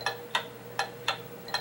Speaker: you tend to develop an ear for what sounds right and what doesn't sound right and this is not is an example of a beat that is not steady and even